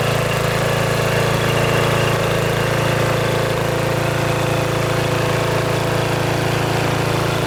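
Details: Riding mower with stock muffler at full throttle, before quiet-exhaust swap: steady, even single-cylinder beat with firm low drone, no misses or knocks; normal running.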